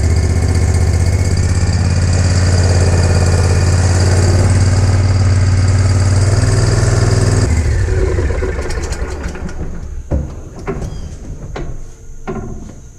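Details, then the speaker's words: 2020 Spartan RZ48 mower, Kawasaki FR691V V-twin, after its first oil change: steady, even idle with a smooth low thrum, then shutdown; no knocks or misses, running healthy, checked for leaks. "i'm gonna start it up let it run for a minute and check for leaks and we're done"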